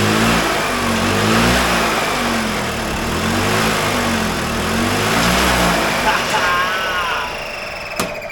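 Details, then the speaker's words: 2001 EZGO TXT gas golf cart, formerly seized engine, after fuel put into the carburetor and choked: runs and revs up and down smoothly without stalling or misfires, then cuts off; running properly. "hot diggity dog got it running"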